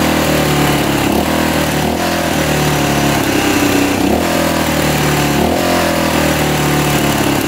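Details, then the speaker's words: 1985 Honda XL600R single, sat a couple years, 80 lb compression, just started after oil down the cylinder: steady, slightly uneven thumping idle, no knock or tick, still smoking but clearing; owner hopes stuck piston rings will free up. "not too bad still smoking though let this run for a bit hopefully those pesy rings can get uh free"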